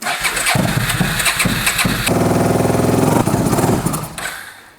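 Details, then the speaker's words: $750 auction V-twin motorcycle: a few ragged cranking catches, then it fires into an uneven, lumpy run with a small backfire pop at startup. "backfire that you i didn't shut it off okay that wasn't it shut up but that sounds pretty good though yeah it's it's getting there"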